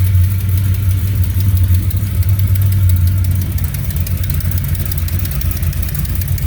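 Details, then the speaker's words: 1970 Plymouth Duster 340 V8 with new heads and Speedmaster roller rockers, first run without radiator: lumpy idle with a faint rapid ticking puff at every firing; exhaust leak. "Definitely getting an exhaust leak."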